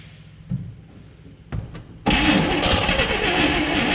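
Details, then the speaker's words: 1959 Chevrolet Apache, original straight-six with one-barrel carb and 3-speed, sat about 36–40 years in a barn: after a few slow cranks on a worn starter it catches and runs loud and uneven, never settling; owner suspects the idle circuit. "So close. So yeah, it does run. Not really the end game I was hoping for, but it does run."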